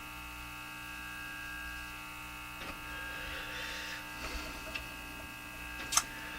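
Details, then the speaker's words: Japanese Zephyr Model 1 radio at full volume: constant buzzy hum with handling clicks, seemingly louder; owner suspects a wire is not connected, cause unconfirmed. "The hum seems louder now, doesn't it? Uh, if this wire is not connected, then that might be the reason."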